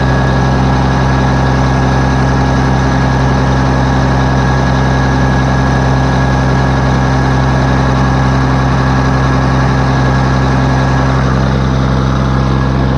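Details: Case 1450B dozer with a freshly rebuilt diesel engine, blow-by checked after a throttle blip: deep, steady idle with an even beat and no knocks or misses. Oil pressure is about 27 psi at idle before full warm-up, and the engine is healthy and good to go.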